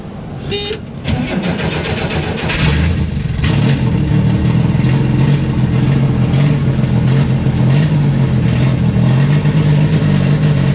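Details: 1967-69 Chevrolet Corvair, rear engine, sat unrun for years, started on a jump box after cranking fuel through the long line; catches after a second, then uneven hunting idle, rough running, ran about 5 minutes then shut off, loose alternator belt.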